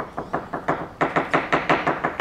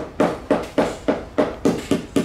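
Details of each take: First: Hammer tap test on a fiberglass yacht hull with thick gel coat: crisp, even taps, each a short solid knock with a defined tone and no hollow thud. Normal sound laminate. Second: Tap test with a hammer on a catamaran's fiberglass hull: sharp taps about three a second turn dull and hollow in the middle where the laminate is delaminated or unattached, versus normal rebound sound elsewhere; fiberglass hull delamination.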